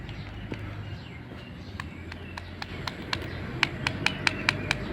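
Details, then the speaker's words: Honda Scoopy-i engine at idle, run with dry engine oil: sharp metallic ticking over low hum from slack cam chain as the chain tensioner no longer pushes; tensioner to be replaced. "จากนั้นผมรีบถอดตัวดันโซ่มานะครับนี่ครับจะมีเสียงมันจะไม่ดันเลยนะครับก็จะมีดังก๊อกๆๆนะครับ"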